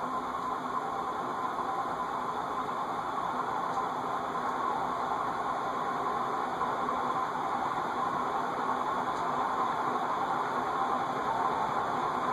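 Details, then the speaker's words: Circa-1991 cast-iron Heat Recovery Systems L-356 industrial ceiling fan, bearings freed from lock-up with WD-40 and oil, first test run on medium drawing about 0.95 A: steady airy whirr with faint rough hum, lower bearing noise amplified by cast-iron housing. "the lower bearing theoretically that's the one downside to cast-iron fans as the cat fan amplifies the bearing noise you can hear it sounds like a whirring sound"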